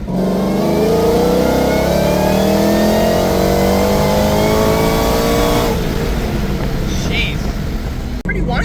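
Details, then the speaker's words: Ford GT500 with Magnus 2650 supercharger, 20% lower and 2.7 upper pulley, Gen 2 intake cams, on a boost test pull: clear blower whine climbing with revs under boost then dropping on lift-off; no belt slip felt, owner suspects cam phasers acting oddly. "Like you could definitely hear the whine."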